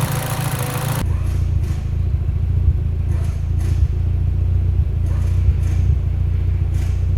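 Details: Mitsubishi Evo X at idle running lean: low idle rumble with uneven, stumbling thuds about once a second instead of a smooth beat; lean idle misfire.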